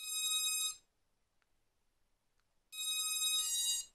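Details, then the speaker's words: Quadcopter with HobbyKing control board v2.1, four ESCs after throttle calibration via the board (throttle lowered): bright multi-tone beep bursts about 0.8 s long, repeating after two-second pauses in a loop; cause unknown. "Ça fait ce bruit. Et je sais pas. Et ça continue en boucle. Plus un bip en plus, et au bout d'un moment."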